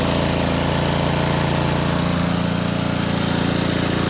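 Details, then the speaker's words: Kubota petrol generator with a cleaned carburetor and new HT lead, running while charging a flat battery on 12 V DC: steady, even engine beat at constant speed with no misses or knocks, fairly quiet for its type. "It's a lovely little thing. It's not too heavy, and for what it is, it's actually quite quiet. I've definitely heard newer generators that are a lot louder"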